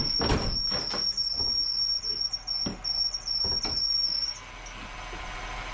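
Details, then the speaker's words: 2001 Ford Taurus, power steering being refilled after repair: a thin, steady high-pitched squeal over clunks and rattles, then it cuts out; cause suspected to be a slipping belt or power steering pump, with the reservoir slightly overfilled. "maybe I can fill it up there we go got the diesel Creek squeal going on"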